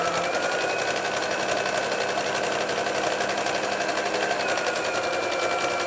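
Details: Domestic modern Brother sewing machine after rethreading and correcting low top tension: steady even stitching hum with needle ticks about four per second, no catching or knocking; sewing normally, problem was user error.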